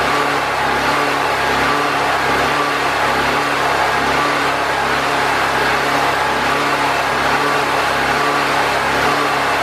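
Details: Predator 4000 generator after fuel and carburetor troubleshooting, with air box and air filter reinstalled and still on old oil: a constant drone holding one speed with no surging, misses or knocks. It runs consistently.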